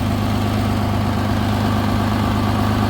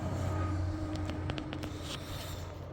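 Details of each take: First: 2016 Nissan Maxima after DIY welded repair of rusted-out exhaust holes: low, steady idle rumble with smooth even beat, no puffing or ticking from the exhaust; now quiet and healthy. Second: 2016 Nissan Maxima, 301,000 on the clock: very loud, deep steady rumble at idle with raw unmuffled edge, no knock; exhaust rotted out with a large hole on top of the pipe, later welded; exhaust leak.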